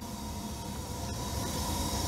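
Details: Furnace started manually by jumpering the thermostat W and R wires because the thermostat isn't calling for heat: steady low hum with a faint tone building as the burner and blower come up. Furnace starts and runs normally.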